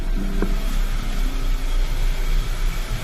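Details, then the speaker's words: Audi A4 2.0 TSI, hard start with check engine light: low, uneven idle that stumbles and shakes, stalling when put in gear; codes show many misfires on cylinders one and three; injector and intake valve carbon cleaning follows. "ось так от працює у нас двигун його трусить коли вмикаєш передачу Вона зовсім глохне"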